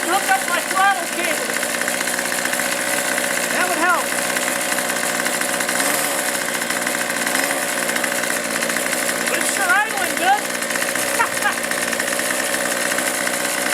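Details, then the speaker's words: Troy-Bilt two-stroke string trimmer runs cleanly with a steady, high buzzing note after fuel-system repair and new primer bulbs, started on half choke and now easy to start: normal running. "uh not a bad deal for 13 bucks I don't have to fight to get this thing started"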